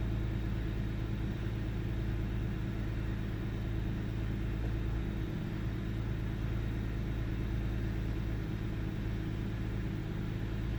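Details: 1998 Ford Taurus SE OHV V6 idling with the hood open: low steady rumble with an uneven beat and faint occasional stumbles. Missing at idle with mild rpm fluctuation; earlier swung 400-1000 rpm with no warning lights. Cause unclear.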